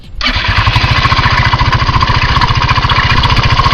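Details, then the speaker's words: Known connecting-rod knock example shown for comparison: sharp, regular knocking about three to four per second over the running engine. "a continuación le vamos a mostrar unos vídeos de unos golpes de biela que son bastante conocidos y para que puedan identificar más o menos cómo suena un golpe de biela"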